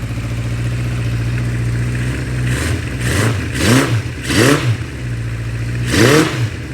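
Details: 1976 Honda CB550 chopper, first start in nearly 50 years with carbs reinstalled and temporary fuel source, no rebuild: steady idle with four quick clean blips, revs rising and dropping evenly; normal revving.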